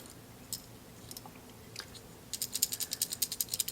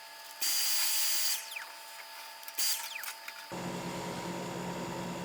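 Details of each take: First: Rattling PTC start relay from a Vissani-type mini wine fridge compressor, shaken by hand: dry, fast clicking rattle from a loose, broken thermistor disc inside, a usual sign of a bad relay; the replacement relay is silent. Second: Vissani mini wine fridge after repair: after handling noise, a steady even hum settles in as the compressor runs; interior dropped from 72 to 64.5°F within minutes, normal compressor running.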